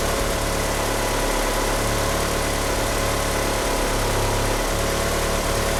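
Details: Car fitted with 850cc injectors, at idle: a lumpy idle that sags about every 1.5 seconds, with a steady chirp from the slipping power steering pump belt. The car won't rev up. Rough idle from the big injectors over-fuelling.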